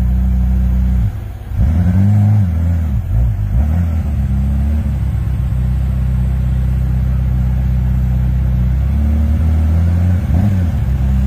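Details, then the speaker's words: 1992 Ferrari F40, first drive after three months of major service and full inspection: deep even engine note pulling strong through clean revs, settling smoothly, no knocks or misses; sounds as it should. "sounds pretty good that's what it's supposed to sound like"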